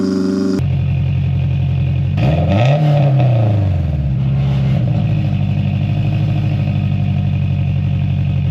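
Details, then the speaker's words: Turbo Honda S2000 fitted with a cheap $150 single-exit exhaust replacing a J2 dual-tip whose muffler baffle broke and rattled: deep steady exhaust drone rising and falling cleanly with a quick rev, no rattle or buzz; normal exhaust note. "Sounds like a $150 exhaust to me."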